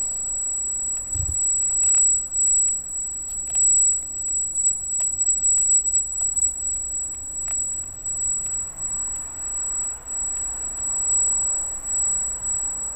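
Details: Newly installed Arris CM2000 brushless camera gimbal with GoPro Hero and FPV cable: steady, piercing high-pitched whine throughout from the powered gimbal motors.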